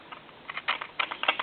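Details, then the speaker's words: Worn hook switch on a novelty animated telephone, checked at board level after parts replacement with the dial tone seizing the analyzer: irregular sharp crackles, pops and sizzling static in short bursts on the line; the hook switch cradle post needs repair. "hear that static that's another thing that's going to have to be gone into I'm going to have to go into the uh pole that comes up for the hook switch cradle"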